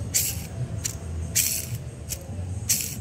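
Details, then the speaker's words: Removed worn clutch release bearing (deklaher) from a manual car, spun by hand: harsh, gritty rattling bursts about every half second as its grease has run out; cause of rough noise when pressing the clutch, replace with an original part. "nah jadi yang menimbulkan suara kasar pada saat kita ngopling itu dari sini teman-teman"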